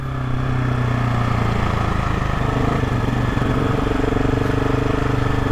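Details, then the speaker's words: GasGas SM700 supermoto single: steady thrum with faint whining scrape; dealer inspection found engine fine, noise normal, attributed to fitted metal skid plate under engine amplifying it. "Явно този шум си е нормален. Само ги разигравам хората."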